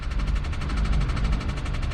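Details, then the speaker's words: 2016 Hyundai Accent, one owner, 97,000 miles, check engine light on; rapid even tapping about ten beats a second over a rough idle, driven daily until about three weeks ago, possibly when the tapping started; source not pinned down, engine tapping noise. "check engine light is on tapping noise and engine was driven daily until three weeks ago probably when that tapping started"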